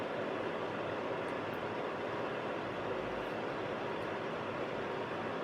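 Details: Hyco FH201 2kW fan heater after cleaning and renovation, on a fan-only setting with the thermostat turned up: steady, even rush of air with no rattle, tick or whine; the fan runs smoothly, normal fan run.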